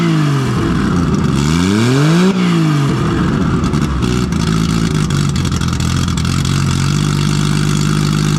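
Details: Nissan RB20 drift car after cylinder 5 no-compression fix; a faulty lifter had let the intake valve sit low. Loud, raw six revving up and down smoothly, settling to an even idle with no miss or knock, all cylinders firing. Healthy idle and revving.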